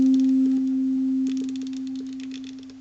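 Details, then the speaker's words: Boomshaker Bluetooth speaker after repair, rotary control refitted, signal generator tone over Bluetooth: clean steady tone easing down smoothly as control turns, no crackle or dropout; volume control works. "So what happens if I rotate the control? Volume."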